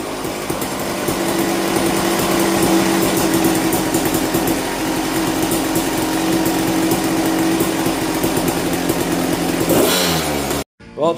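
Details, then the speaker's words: 1998 Kawasaki KX250 two-stroke on 40:1 premix, after fixing low spark and a no-start, kick-started: crisp, even buzz holding steady revs with no hunting or surging; running normally. "she's running, everything's working."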